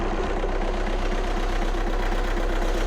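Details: Audi A1 diesel at a low idle with an uneven, lumpy beat about four per second, running on three cylinders. The oscilloscope shows the cylinder 3 injector drawing no current, compared against a known-good cylinder 1 injector, proving an injector circuit malfunction.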